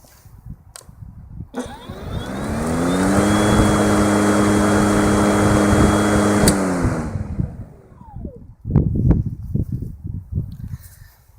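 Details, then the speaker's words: Brushless motor of a 36V 2600mAh cordless lawnmower spinning up and down: smooth whine climbs in pitch, holds steady, then glides back down with no rattle or scrape; normal healthy spin-up and spin-down (owner unsure if direct or belt drive). "Now, some people said they wanted to hear the sound of the motor spinning up and spinning down, so I'll do that now."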